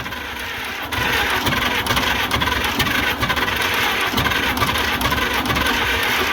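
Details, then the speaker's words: International Harvester McCormick 64 pull-type combine engine, old four-cylinder, first start after purchase: slow, loping, even thump at low idle with no knocks or misses, oil pressure present; sounds healthy, normal idle. "Oh, it sounds good. It's got oil pressure too. Oh, it sounds good."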